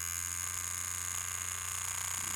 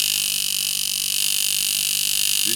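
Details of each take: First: Cheap knockoff rotary tattoo machine (Poseidon V7 compared with a Dan Kubin Sidewinder V3R) turned up a little from 5 volts: a harsh, high buzz with a wavering, uneven hum underneath; it sounds horrific and runs inconsistently. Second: Tattoo machine (Sidewinder V3R vs Poseidon V7 comparison) slowed to 3.3 volts: a fast, even buzz with a steady pulse that never falters; softer and slow but still hitting hard, running normally.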